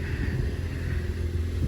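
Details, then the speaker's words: Ford Focus ST Mk3 estate petrol engine, running again after an accident, idling cold just after start-up before warming: steady low rumble, even beat, no knocks or ticks. Normal cold idle. "it absolutely sounds great but we're going to let it warm up a bit"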